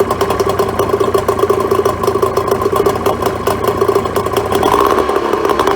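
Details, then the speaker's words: Neglected 2004 Tohatsu 25HP two-stroke outboard after fresh fuel, cleaned fuel filter and new plugs: quick, even idle without misses. No water from telltale, so a water pump kit is needed. Normal idle. "But look, I'm pretty encouraged. It sounds like it's going to run fine once it's had a bit of a decent run."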